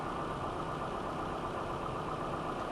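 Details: 1995 Nissan Altima 2.4L, which had stalling and no-start, idling after a used distributor was fitted; cam and crank signals tested good at the distributor. Quiet, steady idle with an even hum and no stalling or dropouts. Normal idle.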